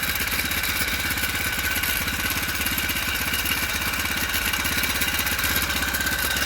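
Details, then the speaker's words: Four-stroke motorized bike on the stand after fitting a frame-mount floating idler spring tensioner: steady, fast beat with light chain chatter on top, the chain running fairly evenly without slapping. Much better than the previous pulley. "take a lot of it out it's not a hundred percent perfect setup but it's much better than the sound pulley"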